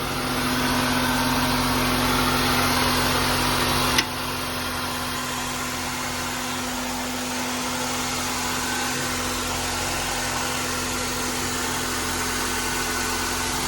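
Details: Honda Element K24 idling cold after likely running low on coolant and overheating: a steady, even idle with a faint hiss and a slightly uneven pulse, no knocking. Coolant is pouring out at the head; the head gasket is blown and will be replaced.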